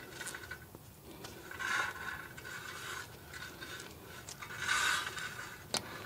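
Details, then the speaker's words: 2008 Honda Odyssey rear wheel (clunks when braking), caliper off with pads still thick, spun by hand. An intermittent rasping scrape about once per turn shows something touching the rotor; the emergency brake shoe inside the rotor is suspected. "you hear that something is something is touching the rotor"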